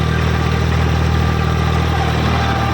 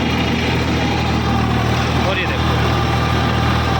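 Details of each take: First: Eicher 557 50 HP diesel tractor at about 1600-1700 rpm in first gear with PTO engaged and rotavator, draft and position levers down: deep steady drone with an even low hum, no knocks; normal dual clutch hum. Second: Eicher 557 50 HP diesel tractor, about 1600–1700 rpm, first gear, PTO engaged with 8-foot rotavator, both levers down: steady low humming growl under even idle from the dual clutch, which hums from startup; engine itself sounds fine.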